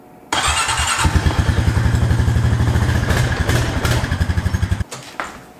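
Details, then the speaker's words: Honda Rancher ATV started in gear, fault present since a rollover years ago: engine putters unevenly at low speed, beats sagging and missing as if about to die, then cuts out; owner suspects bad brake switch, not confirmed. "So as you can tell, it just putters and it like tries to die. At least that's what it acts like."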